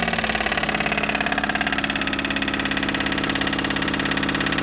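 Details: Daihatsu Mira Gino L700S with accessory drive belt removed to check engine noise; steady idle with fast even tapping about three or four beats a second; abnormal engine noise, source unclear.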